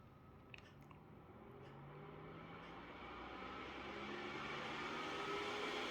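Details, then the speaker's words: Asus PG27UQ monitor FPGA cooling fan ramped up to high speed in a test: smooth whir climbing in pitch and loudness, no rattle, ticking or grinding; running normally, and likely the noise it makes on the internal monitor board. "And I think this is what you hear if you if you connect the fans to the monitor board, internal board."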